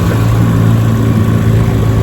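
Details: 1957 Johnson 10 hp QD18 outboard after full restoration (rebuilt carburetor and magneto), lake test run: steady low two-stroke burble, even firing, no misses or knocks; normal running, zero problems.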